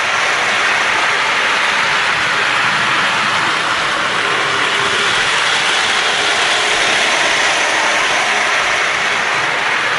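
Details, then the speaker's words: Lionel Alco FA toy locomotive after wiring repair, motor cleaned, relubed and shimmed: fast, even gear whir with steady rasp, no catches or surging; runs smoothly at speed. "Let's fire it up. She runs really good"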